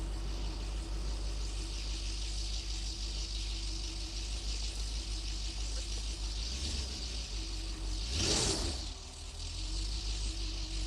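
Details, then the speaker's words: BMW Alpina B10 4.6 V8, just restarted after about 12 years sitting and warming up: steady raised idle hum whose revs sag near the end; the stuck cold-start valve holds the idle high and it drops when released. "cold starts actually stuck believe it or not cuz do you notice how it drops down when you come off"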